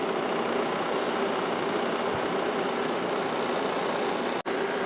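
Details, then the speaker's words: 1995 Kenmore 5,450 BTU window air conditioner, Sanyo compressor and GE PSC fan motor on low speed, drawing about 3 A easing to 2.87 A: steady even hum and airflow hiss, no knocks, running normally. "runs nice and smooth we're at about 3 amp right now"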